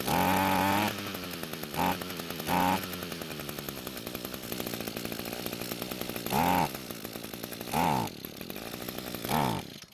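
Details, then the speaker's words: Echo string trimmer after carb service and reconnected fuel lines: it starts and idles, but quick throttle blips flare and sag, bogging from a lean mixture. Fixed by turning the top fuel screw half a turn counterclockwise. "so it started well but when quickly squeezing the trigger it wanted to bog down and die so to fix this problem I'm going to turn the fuel adjustment screw on top of the carb counterclockwise a half turn to give the engine more fuel"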